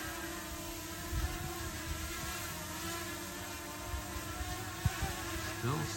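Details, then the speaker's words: Potensic Atom drone hovering at low altitude in 10-18 mph gusts: steady high prop buzz briefly rising and dipping as gusts hit, motors correcting normally to hold position. "here's getting some gustes for choice of better words can hear it making the adjustments with the"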